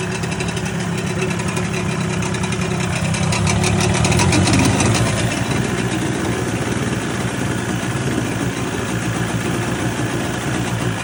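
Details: First start after repair of a boat outboard motor: even, steady low engine beat that swells briefly with a little throttle, then settles to a smooth idle with no knocks or misses.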